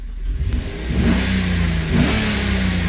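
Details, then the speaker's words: Chevy 5.3 V8 after DOD/AFM delete with new lifters and guides, reflashed: two quick blips, clean even rise in pitch, no ticking; revs freely with good oil pressure, previous tapping gone. "you can hear it runs great look at that oil pressure too that's nice doesn't sound too bad now whole lot better than that Tippy tap tap that was going on"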